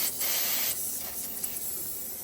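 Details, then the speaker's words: Steady high hiss with no engine running, fading slightly, heard when shop air hooked up during Series 60 engine swap; leak found at the compressed-air reservoir. "There's some creaking. Some creaking. Something's leaking somewhere around the plant."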